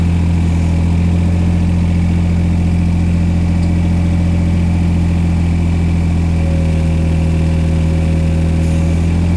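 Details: Old diesel engine given revs slowly after starting; deep steady drone, even low beat, no misses or knocks: running cleanly after hard start.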